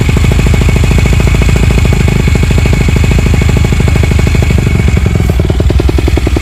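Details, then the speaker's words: 2008 Yamaha YZ250F four-stroke single, Yoshimura slip-on with FMF Powerbomb header, mostly stock motor, runs well: loud, crisp, evenly spaced firing pulses at a steady beat with no misses or knocks, normal healthy running. "the pop in does run pretty well give you a little bit of an exhaust though"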